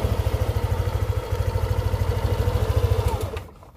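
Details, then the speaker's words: Yamaha Aerox 155 scooter after 2 years of ownership, routinely serviced, no error codes; steady even putter at idle, regular pulses with no knocks or rattles. Owner says the engine sounds the same as when new: normal idle. "suara mesinnya itu sama seperti saya pertama kali beli masih soalnya sama jalur ada yang berubah"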